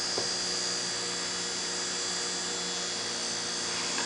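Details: Raspberry Pi driving a fischertechnik motor via transistor and PWM: small motor whirring with a steady high whine and faint electrical buzz, even and smooth; motor running normally.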